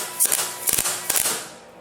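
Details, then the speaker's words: MIG welding a suspension link bracket on a 1962 Jeep Willys at about 70% setting, wire around 2 m/min: sparse, spaced-out crackling pops instead of steady sizzle; wire feed too slow, current drops, wire melts before touching the piece. "nhưng nó sai, bạn có thể thấy rằng tiếng ồn đang cách xa nhau, nó sai, vì nó giảm quá nhiều cường độ dòng điện và dây dẫn đang nóng chảy trước khi tiếp xúc với bộ phận"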